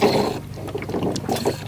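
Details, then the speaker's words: 1987 Chevrolet Monte Carlo SS parked 20+ years, warm not overheating: irregular bubbling and gurgling over low engine hum, sucking air as the leaking radiator cap pushes coolant out. "Hear it sucking air. Oh, great. Yeah, the radiator cap is leaking, so it's pushing all of the fluid out."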